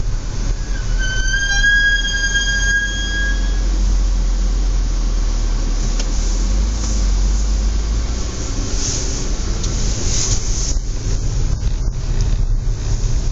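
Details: Audi S4 B8 driving in low outside temperature: a high, piercing, extreme brake squeal rises for a couple of seconds over the rolling rumble, then fades.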